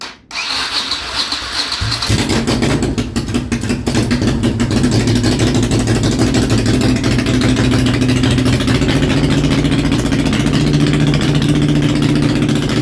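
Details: Honda Shadow V-twin after a single-carburetor intake manifold conversion, started on choke: brief cranking, then it catches and settles into a steady, lumpy idle with a couple of light blips; runs evenly.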